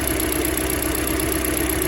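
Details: Hyundai Elantra at idle, running on three cylinders with no fault codes, engine opened twice without fixing it: steady idle with faint uneven pulse from the exhaust, misfire traced to a dead ignition coil.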